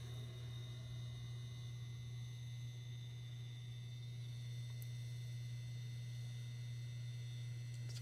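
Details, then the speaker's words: Samsung NE63B8211SS induction range at full power, boiling two cups of room-temperature water in a pot: a steady low hum with a faint high-pitched rattling whine over the boil; normal coil noise, less noticeable than on an IKEA induction hot plate. "you can probably hear a little bit of that rattling high-pitched noise it's not as noticeable on this range as it was on the Ikea brand induction hot plate which is a relief"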